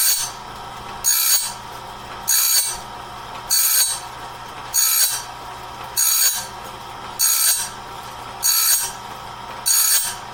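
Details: Clarke heavy-duty sawmill blade sharpener at medium speed, sharpening a 2-inch-wide, 223-inch bandsaw blade; bright rasping grind bursts about every 1.2 seconds in a steady, even rhythm, working normally and leaving the blade fully sharpened.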